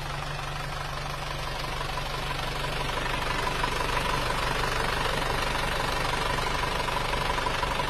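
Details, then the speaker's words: Old Isuzu Panther box-body diesel, overhauled reusing pistons with liners turned and new rings: even diesel clatter at idle, about three beats a second, steady with no extra knocks or misses; normal idle, for comparison. "Suaranya sangat jauh berbeda padahal ini mobil tahun tua ya mter kotak tahun tua"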